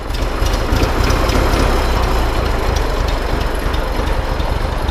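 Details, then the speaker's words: 1924 Citroën C3 Trèfle old four-cylinder, started after opening the fuel tap, connecting the battery and priming: fires up and settles into a steady, even chuffing run, no misses or knocks; perfect, clock-like start. "Bon, bravo Eric pour ce démarrage absolument parfait. Ça tourne comme une horloge cette ça affaire."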